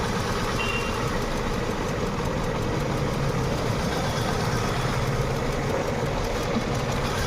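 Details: Hyundai Venue idling with injector 3 unplugged during test (real fault: ECM gives no pulse to injectors 1 and 2, P0300/P0301): lumpy uneven idle with beat repeatedly dropping out; induced misfire.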